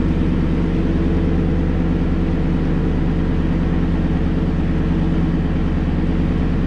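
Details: 2016 Toyota Tundra Platinum 5.7 iForce V8, first start after installing Corsa 14916 stainless sport exhaust: deep, even idle burble with steady low rumble, no ticks or misses; idles smoothly.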